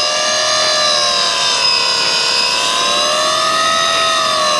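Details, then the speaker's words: Hyundai Ioniq electric, 113,945 km: loud high-pitched howl of several stacked tones wavering gently in pitch, strongest from underneath at the traction motor; worn motor bearing, motor to be removed. "तो यहां हमारे पास उसका उपनाम है और यहां हमारे पास मोटर में ऐसा हॉवेल है"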